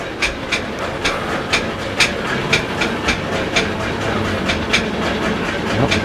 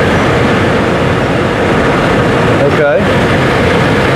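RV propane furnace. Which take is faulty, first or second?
first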